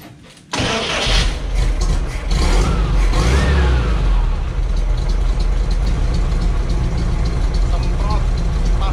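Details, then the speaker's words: Classic Volkswagen engine after spraying carburetor cleaner: catches almost instantly after a brief crank, then settles into a steady, even idle with no sputter or misfire; the earlier rough running was caused by a dirty carburetor. "Mesinnya juga mudah dihidupkan. Ternyata masalahnya adalah karburatornya kotor."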